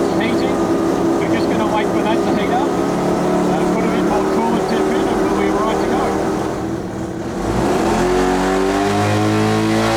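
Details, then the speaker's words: Mazda FD RX7 13B-REW rotary on methanol, first trans-brake pull on wastegate spring pressure (about 8.5 psi boost), reaching only about 5,300 rpm against a two-step limiter at about 5,500 rpm: hard, steady high-rev buzz, dips, climbs smoothly. Normal. "Let's get the smoke out of here, and I want to just have a quick debrief about what that first trans brake pull was all about."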